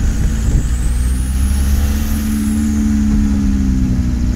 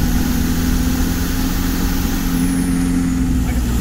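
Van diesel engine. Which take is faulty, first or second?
first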